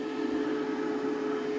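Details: WFCO WF-5110 1000 W inverter newly DIY-installed in an Airstream RV, first power-on test: smooth, even cooling fan hum at a steady mid pitch, no rattle, wobble or vibration; normal fan running.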